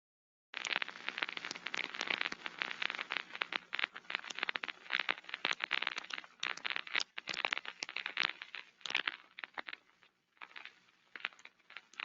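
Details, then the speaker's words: Damaged rolling-element bearing heard through ultrasound headset (SDT ultrasound, structure-borne vs airborne comparison): irregular scratchy crackling and popping bursts, no steady hiss; rolling element bearing defect. "it must have heard both the structure-borne Airborne it's like it sounds slightly different but when your ear is trained you can basically know which one is which"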